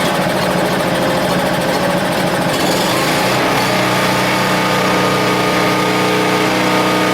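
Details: Husky 1850W generator (about 5 hp) with Mikuni T3044 carburetor, converted to natural gas after cleanings failed, restarted with a hair dryer plugged in: rough for a couple of seconds, then settles into a steady even drone; running fine.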